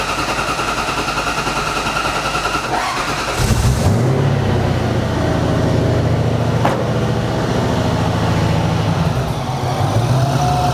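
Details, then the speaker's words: Supercharged drift truck after O-rings added to AN oil lines to fix oil leaks, started to check for leaks: short steady crank then fires cleanly into even deep idle, no stumbling; normal cranking and start. "All right, I'm gonna go ahead and start it up now and check for leaks. See if our fixed, you know? I'm gonna crank it over just a little bit first."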